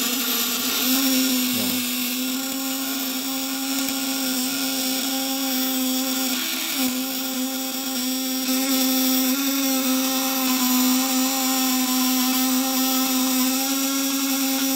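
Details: Fish-shocker inverter at 24 V, probes dipped in water and output turned up to about 200 W: steady, smooth high buzz, even loudness, no rough crackle; wet probes give smooth sound, dry ones rough.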